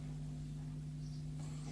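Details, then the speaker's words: 15-year-old Sealey mini air compressor with an integral motor and pump: a steady low electrical buzz with no run-up, as the motor gets power but does not turn even though the fan spins freely. "so there's definitely power getting to the motor about the sounds of it but there's actually nothing happening"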